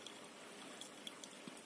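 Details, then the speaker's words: Phase-change cooler on an overclocked Ryzen 7 3800X, just switched off after running at about -60C because of humidity: soft irregular ticks and drips over a faint hiss, like water dripping, from refrigerant evaporating inside the cooler. Normal. "kind of like water dripping that is the the actual sound of the cool and evaporating inside the face core"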